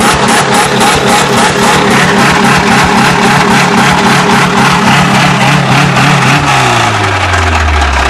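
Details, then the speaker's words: 1994 Saturn SC2 1.9L engine: hard regular knocking about four times a second that slows as revs drop; bottom-end engine knock. "Yeah, that's bad. I don't know what's louder, the knocking or his off."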